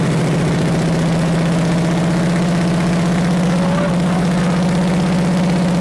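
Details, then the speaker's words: Big block Chevy 454 V8 that sat 20 years, first run for a 1969 Chevelle: deep even rumble, steady firing beat, good oil pressure, no rod knock or ticking; runs until fuel runs out. "well we got good oil pressure so um and it sounds good there's no Rod knocking"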